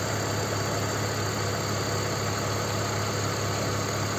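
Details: BMW 325ci E46 M54 six-cylinder, previously ticking lifters, after Liqui Moly lifter additive and 100 km driven: steady, even idle with smooth low hum and no top-end ticking; normal idle.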